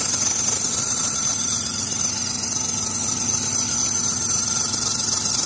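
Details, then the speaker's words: 2006 Chrysler 300 at idle, squeal on cold startups: constant high steady squeal; alternator pulley rusted, but the idler or tensioner pulley is suspected, likely dried-up pulley bearings; serpentine belt squeal. "Honestly, to me, it sounds like it's either this idler pulley or the tensioner right there. I got a pretty good feeling that if we were to remove that belt, we're gonna find that some of those bearings on the pulleys are just dried up and no good, and that's what's causing the noise."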